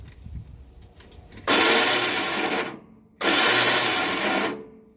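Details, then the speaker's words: Yard-Man 13785L riding tractor, Briggs & Stratton two-cylinder, clutch/brake down; two bursts of high free-spinning whir with no engine cranking; owner suspects starter stripped its gear or stuck, flywheel dead spot checked. Starter spins without engaging. "the starter is right over in underneath here so that you can hear this it sounds like the telltale sign of an opie starter that ate the gear off the top"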